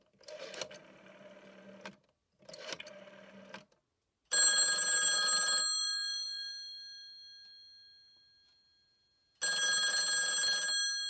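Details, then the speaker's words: A phone called from another extension on a home PBX not connected to a landline. The bell rings in single long bursts of about 1.5 seconds, several seconds apart. This is a normal single-ring cadence, like a regular US landline. "can hear that it is indeed the single ring that you would typically hear with a regular United States landline"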